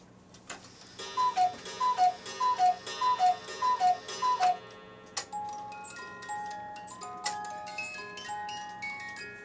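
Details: Cuckoo clock repaired earlier. An even tick at about 100 beats a minute plays under a clean tinkling tune. The movement and music box are running properly.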